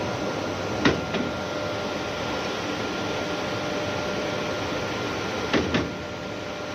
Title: vfd rig draw works have abnormal sound